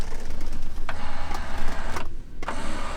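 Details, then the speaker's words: 1989 BMW 325is E30, 31 years old: even power mirror motor whir in short runs with clean stops and direction changes, working normally. "Oh, okay, it's the power mirror, and it looks like it functions perfectly."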